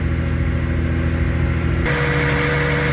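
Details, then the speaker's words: 1982 Datsun/Nissan 280ZX, unserviced and stood for about 20 years, after recommissioning. Steady, even low idle with no misses, then it steps up slightly and stays smooth. Running clean with slight smoke and good oil pressure. "First turn of the key. That does sound better. She's running cleaner than a roll of Andrex toilet roll."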